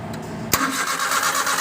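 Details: Suzuki F6A 12-valve engine: sharp starter engagement then uneven cranking churn that never settles into running; cranks but won't start, with CDI ignition and distributor being checked, cause unknown.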